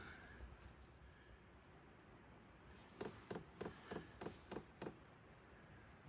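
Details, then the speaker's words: A diesel heater in a heated canopy, run from a 12 V lithium battery at about 35°F: soft, evenly spaced ticks of about three a second as the fuel pump primes before ignition, which is normal. "okay you can hear it kind of clicking just going to fire off and see when they get started"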